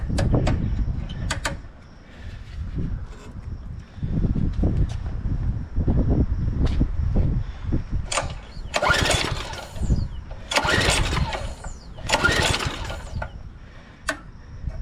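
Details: 2007 McLane reel mower small engine before the carb clean, throttle up, on run, gummy throttle suspected. Several sharp pull-start bursts, each a brief sputtering crank that dies straight away; cranking no-start.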